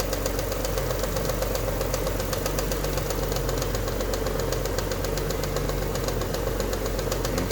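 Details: Alfa Romeo GTV Cup engine warming up at idle before a head gasket block test: a fast, fairly even light rattle about four per second, pointing to a worn timing belt tensioner.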